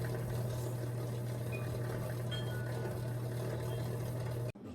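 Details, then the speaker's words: Kenmore Elite QuietPak 9 HE5T washer throwing F21 drain code, pump heard from below while trying to pump out standing water: steady low hum with faint watery churn, no water pulled through; sounds like impeller failure, washer did not drain. "you can hear the you can hear the pump down here it doesn't sound great it almost sounds like an impeller failure"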